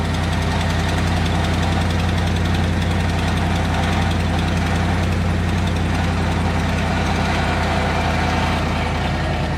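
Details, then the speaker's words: Truck on cold first start of the morning, idling: quick, fairly even tick over low rumble, sounding like lifter tick but an exhaust leak, fading as the engine warms; separate rattle unrelated. "now it's only ran for a minute and I know that sounds like a lifter tick so watch this so if you can't tell man it's already starting to go away"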